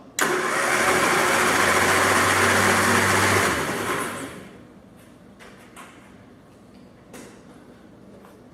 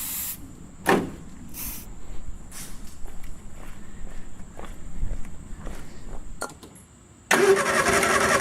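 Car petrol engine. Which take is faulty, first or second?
second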